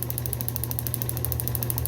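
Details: Restored Fairbanks Morse FM-J 2B 6D magneto for a 1938 John Deere G, formerly corroded and frozen, broken rotor bonded back together, points 0.018 in: fast, even snapping sparks at a steady rate over a low motor hum; firing cleanly and regularly.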